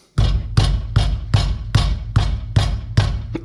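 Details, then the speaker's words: Dodge Dakota R/T project truck, front wheel struck by hand: eight sharp knocks, about two per second, with a dull metallic rattle; first thought a loose heat shield, found to be a loose front brake caliper. "the noise we're hearing so looks like I have to take this wheel off and find out where that noise coming from"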